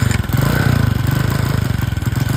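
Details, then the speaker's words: Hard-starting motorcycle at raised idle: a fast pulsing beat that wavers and stumbles, idle won't hold steady and it is gas-hungry. Owner checks carburetor, electrics and intake/valve leaks. "Yung kanya pong idol talaga hindi maidol idol pabago-bago po yung kanyang idol pag ganito naman kataas nakuakaw talaga ng gasolina kapag ganito."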